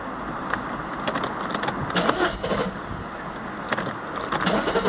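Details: R129 300 engine at rough idle: irregular stumbles and bursts instead of a steady beat. It misfired once, then twice, and now runs badly; the cause has not been found.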